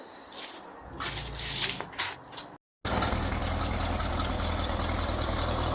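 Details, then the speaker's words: 1936 Ford truck on a Chevy S10 frame with a small V8, heard from the front: after shuffling, a quiet, even idle with a soft steady low hum and no knocks; normal idle. "walk around Kathy get to the front so you can hear it real good it's kind of quiet"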